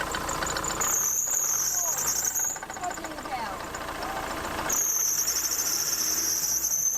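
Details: VW Crafter van engine running: piercing, high, steady squeal from the accessory belt slipping under heavy alternator load, before alternator replacement.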